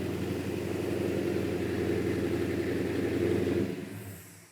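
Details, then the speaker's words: V8 with solid lifters held at a steady 2,000 rpm (also revved to 3,500) before shutdown: fast, even valvetrain clatter over the rumble; ordinary solid-lifter rattle, sounds good. "I got solid lifters in Doc, yeah, solid I lifter. can hear them rattling, yeah. I like it. Sounds good."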